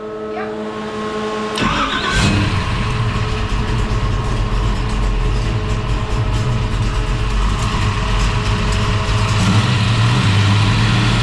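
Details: Holden HT Monaro after replacing faulty MSD ignition module, thermo fans on, alternator wire run: cranks and fires at once, strong even rumble rising cleanly with throttle; healthy start, sounds mint.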